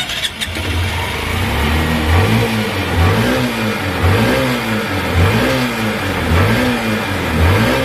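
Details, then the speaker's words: Motorcycle that started but died when the throttle was squeezed, caused by water in the fuel tank; after draining the tank and cleaning the carburetor, the engine revs up and settles about once a second, clean and crisp with no stumbling: running properly. "Ayan mga boss kita niyo naman umayos at umigi na yung unit ni boss"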